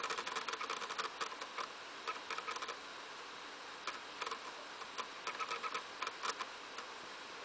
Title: Wii making rattling noise when loading from a game disc